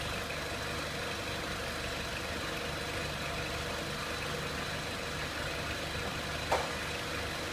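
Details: 2003 Renault Clio 1.6 petrol, intermittent stalling traced to a loose crank sensor connector (sensor good), running during analog crank sensor waveform testing: steady, even engine note with no knocks, misses or speed hunting; normal running.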